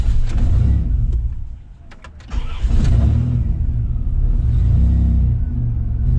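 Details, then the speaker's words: Van with non-stock injectors and cam, just after the battery was disconnected: engine sags and nearly stalls about two seconds in, then recovers to an uneven fast idle held near 1000 rpm while the engine computer relearns; idles normally after roughly 90 seconds. "the engine computer doesn't quite know what to do with itself because the injectors and the cam and everything that are in here are not exactly stock so it always tries to die right away as illustrated"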